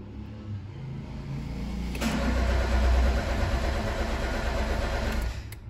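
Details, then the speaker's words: Peugeot 206, about 2008, brought in for not starting, with no fault codes stored: the starter churns steadily but the engine never catches. "vemos que no da arranque entonces lo primero que siempre es importante hacer lectura"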